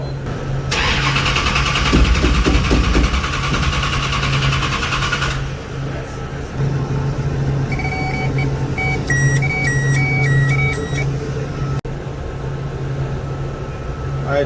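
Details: Dodge Charger with fresh engine and 8-71 blower: starter spins the engine steadily at about three turns a second but it never fires; crank no start due to no fuel.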